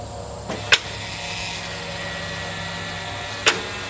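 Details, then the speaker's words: John Deere 5065E tractor, battery tested good, ignition turned while measuring voltage at solenoid: two sharp single clicks about three seconds apart over a quiet hum, engine does not crank; starter/solenoid suspected faulty. "so you can see we're having a change in the voltage across the solenoid and we're having an noise when that power change occurs but the engine is not cranking"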